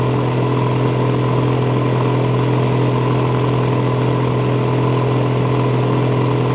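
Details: Massey Ferguson 760 diesel tractor idling evenly and steadily on an auxiliary electric fuel pump; the old engine lift pump loses prime back to the tank (tank shutoff removed), with air entering through injection-rail leaks; lift pump judged bad.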